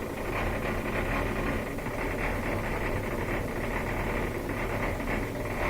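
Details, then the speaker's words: LG washing machine that won't drain, may show OE error: drain pump gives a steady low hum and buzz with no sound of water moving. Impeller slipping on the motor shaft; debris in the pump still to be checked. "This is the all-common LG washing machine that won't drain, also may be giving you the OE error. This is the sound that a bad pump makes."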